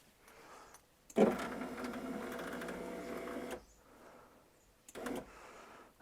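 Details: 1999 Porsche Boxster 986 driver's window after regulator replacement, old motor reused: steady motor whir about two and a half seconds as glass travels down, smooth, no grinding; regulator working normally.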